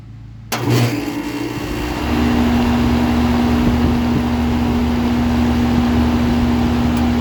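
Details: 2005 Lennox Elite air conditioner, switched on from inside: quiet, then a thump as it kicks on, settling into a steady mid-pitched hum; normal startup and running.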